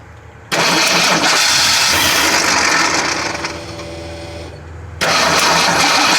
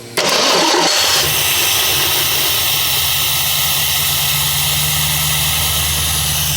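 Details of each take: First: 1979 AMC Spirit AMX with EFI swap, tank and surge tank run dry: starter grinds engine over steadily, pauses, cranks again without catching; still no fuel pressure, though it sounds like it wants to fire. Crank no start from no fuel pressure. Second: 1979 AMC Spirit AMX with a newly installed Aces EFI system, restarted after a too-tight, sticking throttle was freed. It catches and settles into a smooth, steady idle without hunting: now sounds as it should.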